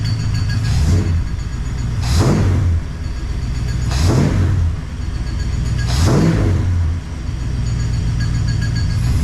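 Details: 1969 Plymouth Fury III V8 after rear main seal replacement, noise from the front of the engine, both belts removed. Revved about every two seconds, a dry rubbing scrape rides over the rumble: the harmonic balancer rubbing the timing cover.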